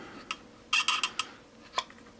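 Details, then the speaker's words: Two-year-old Cry Baby wah pedal: short high chirps as the pedal rocks, squeak persists after lubricating the roller and rack-and-pinion; owner suspects wrong lubricant or a tension issue. "now I'd love to say problem solved but it's still doing it"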